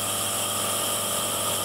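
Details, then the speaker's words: Honda Vario 125 (K59) head during overhaul: steady airy hiss of compression leaking past the valves, which does not affect radiator circulation unlike a leaking head gasket; valve compression leak. "kompresinya itu mengalami kebocoran seperti ini ini"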